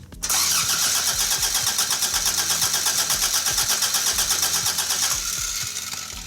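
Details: Toyota AE86 after ignition coil replacement, fuel reaching the fuel rail: starter cranks steadily about three pulses a second for five seconds but engine never catches; injectors, injector plugs or fuel pump suspected, not confirmed.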